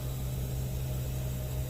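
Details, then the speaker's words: Walk-in freezer on a late-night service call, just out of defrost: even low electrical hum and smooth airy rush with no rattle or scrape as the evaporator fans spin up normally. "sounds like we just came out of defrost there's our fans of spinning"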